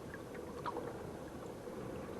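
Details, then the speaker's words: Hammerhead Kayaks Bull Shark pedal propeller drive after repair: only soft water swish and gurgle as it turns, with no creak. The earlier creak was fixed by sanding off a small bump and touching up with black spray paint. "But the creak, the noise in the drive, totally gone now. If you'll remember some of my earlier videos where it was making that noise and totally gone."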